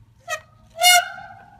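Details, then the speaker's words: Trek Crockett 7 bicycle with TRP RevoX cantilever brakes giving loud, ugly squeals that grow louder at higher speed, with a lingering ring; noise persists after replacing and readjusting the whole brake mechanism. "Pull again. Go faster. Gets even louder. Gets even uglier."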